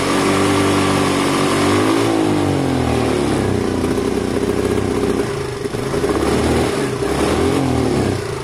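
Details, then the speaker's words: Sinnis Harrier 125cc single-cylinder with a new carburettor, after a week sitting, during pre-MOT checks; revs rise then stumble and sag past about quarter throttle, never clearing; owner doubts the choke, suspects the carb is bunged up. "i don't think it's a choke problem i think it's a car problem i think somehow the new cobb has been bunged up already potentially something left in the line maybe"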